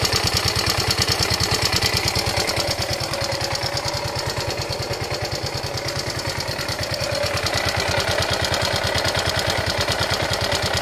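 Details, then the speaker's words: Yamaha Ego Solaris motorcycle engine at idle: a harsh, rapid, evenly spaced knocking over the idle throughout. The engine sounds very rough, and teardown found a worn, scored cylinder and a broken cam bearing. "Di mana masalah dia ni ialah masalah enjin. Enjin dia bunyi kasar. Memang cukup teroklah bunyi dia ni."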